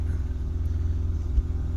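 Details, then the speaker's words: 2016 Hyundai Veloster DCT turbo GDI, 82,386 miles, warm idle after CRC intake valve cleaner treatment: low, even rumble, rattly like all GDIs, no ticking or knocking, no tailpipe smoke; normal idle. "Still sounds like a rattly tractor, like all GDIs."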